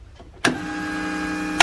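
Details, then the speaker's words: VW MK1 Golf with 1.8T AWD swap, not yet starting: key on powers ECU and fuel pump, which gives a steady electric hum of about a second, switching cleanly on and off; normal fuel pump prime. "so now that is turning my fuel pump on and you know everything's good to go"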